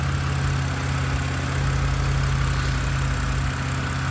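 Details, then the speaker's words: BMW E90/E92 after VANOS solenoid cleaning for stutter and rough idle, ignition coils checked good: steady, even low idle with smooth firing pulse, no stumble or hunting; normal idle. "Constant idle. So, I'm about to go drive it and see if it stutters under acceleration or anything like that."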